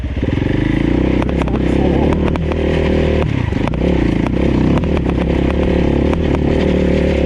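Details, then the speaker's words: 690 single on a dirt roadbook ride, steady speed: thumping engine with irregular sharp ticks and clatters as something loose rattles; rider suspects the roadbook holder rollers, after already fixing a quick connect bouncing off the frame. "You can hear there's some stuff rattling around. I need to figure out what's going on with that."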